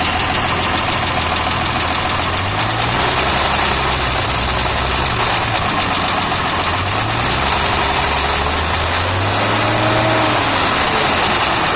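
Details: FJ60 engine idling with a wandering, slightly uneven note and a faint hiss over it; owner suspects a vacuum leak (unmetered air), not confirmed.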